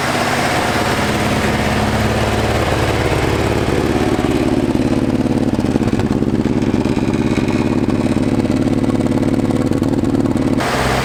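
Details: 1981 Toyota Hilux RN46 with 18R-G twin-cam engine, first start after sitting at least 3 years, compression good: steady, even idle with a firm rhythmic exhaust beat, no knocks or misses. Normal running.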